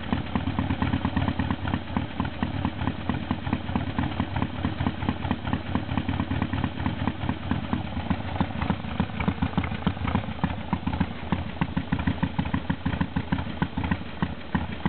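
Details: 1978 Harley Sportster V-twin after a cold start, engine cold: settles into an uneven loping potato-potato idle with steady firing and no extra knocks, healthy.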